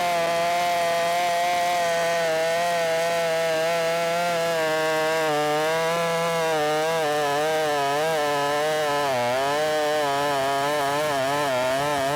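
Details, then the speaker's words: Ported Shindaiwa 757 chainsaw, 24-in bar, 8-pin sprocket, advanced ignition timing, about half turn richer after a white lean plug: scream sags and wavers under load, had to be babied through all three cuts; owner feels it needs a 7-pin sprocket. "I don't like it whenever I have to baby it through the cut and I did have to baby it a little bit through the cut right right there uh on all three Cuts"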